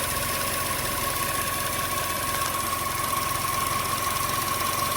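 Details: 2012–2018 Chevy Sonic 1.8L non-turbo Ecotec petrol engine idling in the engine bay with fuel trim pegged at 40, running lean; uneven, lumpy, shaky idle. Rough idle.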